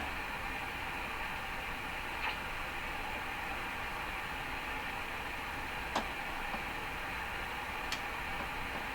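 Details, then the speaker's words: Hammarlund SP-600 receiver on makeshift antenna, tuned above about 17 MHz: steady flat hiss, a couple faint ticks, no station; reception weakens at higher bands. "well that's a little disappointing you know it kind of seems the higher you get with this radio the quieter it gets"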